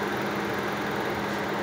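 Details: Toyota Vios 2nd gen idling with an uneven, lumpy, stumbling misfire, likely one cylinder dead; runs weak and would die with the AC on; oxygen sensor unplugged to test, new spark plug reacts, one cylinder shows no reaction.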